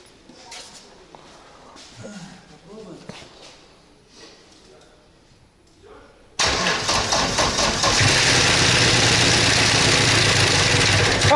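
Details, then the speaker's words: Ford Sierra engine first start after fuel line work: quiet, then engine catches and runs loud and harsh with uneven rattle and knocking; rough running, cause not yet known. "походу ему хуёво судам по звуку не очень мне кажется ему плохо нет конечно кровь из города сама он стучит"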